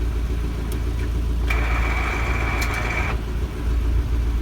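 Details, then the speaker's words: Car after new clutch, pressure plate and throwout bearing, flywheel sanded, pilot bearing kept: rough grinding hiss over steady idle for about 1.5 s with clutch pressed, stops when released; air in clutch hydraulics suspected, not confirmed. "that's so weird given like you replace everything um if there's still air in the system for the clutch and it's like what would it make that grinding noise like that"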